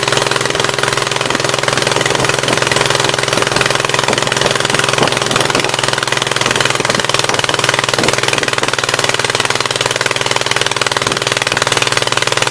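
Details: 1976 Gravely 816 twin restarted after a dose of penetrating spray (Blaster): rough, uneven running with irregular lumpy beats around ninety a minute, the left cylinder only partly firing and dropping out.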